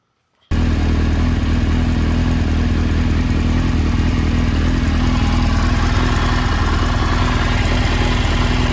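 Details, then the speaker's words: 1996 Suzuki GSX-R750 SRAD after swapping troublesome Keihin FCR39s for rebuilt, ultrasonic-cleaned stock carbs with a Dynojet kit: crisp, even four-cylinder note revving freely and settling cleanly, no stumble or misfire; runs perfect on the street. "And as you can see, and as you can hear, it's running super nicely on those carbs, and it runs perfect on the street. No dramas at all."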